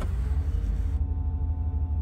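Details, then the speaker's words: Warm GM 5.7 TBI V8 after replacing a corroded distributor cap and rotor: a steady, even idle around 800 rpm that dips slightly under load in reverse and drive with no stalling; normal idle. "the rpms are hanging around 800 and as i shift through the gears into reverse and drive notice the rpms do drop down a little bit as there's a load on the engine however it is no longer stalling out"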